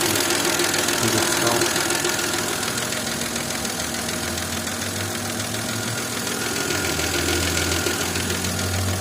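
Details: Engine code BDW, knocking both cold and warm: a regular light knock about three or four per second over the warm idle; cause unknown.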